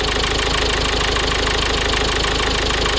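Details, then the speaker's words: 2004 Mazda 6 2.0 MZR-CD diesel with replacement engine, cold start on the second morning: clattery idle runs normally at first, then surges up and down (hunting); cylinder 3 injector correction suggests low compression or a faulty injector, cause unconfirmed. "Оінь якось працює відразу нормально, потім починає просто підкручувати."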